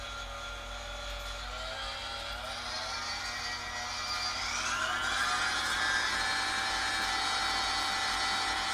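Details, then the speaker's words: New GE G8M 5.3-quart planetary stand mixer at stir speed with the flat beater fitted; steady even whir with a faint regular gear tick of about 200 per minute, sturdy metal gearbox; normal running. "definitely sounds like it's got metal parts i i hear a very sturdy transmission so to speak in there so impressive"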